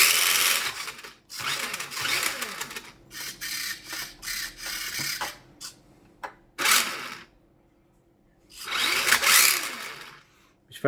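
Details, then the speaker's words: Tamiya TL01/TD01 Ford Focus WRC RC car, bought second hand 5–6 years ago, heavily used: small electric motor whines in irregular bursts, cutting out and restarting; owner suspects battery-side connection, possibly flat battery. "Well, yeah, see the battery connection. I think it's the battery on the battery side, to be honest."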